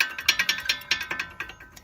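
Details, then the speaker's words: 2009 Skoda Fabia driving over small road bumps: sharp irregular metallic clacks, about six a second, from an improperly installed brake pad missing its metal clip, knocking in the caliper; suspension, joints and bearings checked fine. "what i noticed is was something really funny that the brake pads as you can notice on small road bumps it produce this noise"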